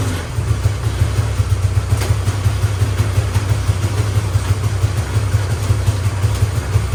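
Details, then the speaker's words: Small single-cylinder go-kart engine on first start after restoration and rewiring, lumpy uneven low idle; owner suspects rich running after a loud pop during starting, carburetor to be removed; rough running. "Alright, so it started up, but it's not running too well. So what I'm going to do is take the carburetor off. I think it's running rich because it made that really loud pop when it wasn't starting."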